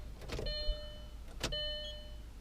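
At key-on a steady electric whir with a fixed tone runs about a second, pauses, then hums again: fuel pump priming normally.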